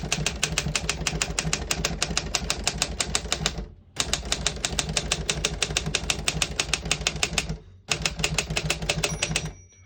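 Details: 1956 Royal HHE vintage desktop typewriter function test: crisp, rapid key strikes at about three a second in even runs with brief pauses; all keys type well with none sticking.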